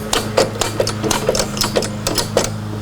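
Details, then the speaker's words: 1977 Gottlieb Bronco electromechanical pinball during restore, credit unit advanced manually: sharp mechanical clacks about three to four per second, slightly uneven, as the gummed-up credit unit steps along; sticky credit unit. "so I wonder if I advanced the credit relay manually will that do anything for us it's not moving there it is wait yeah this thing's gummed up"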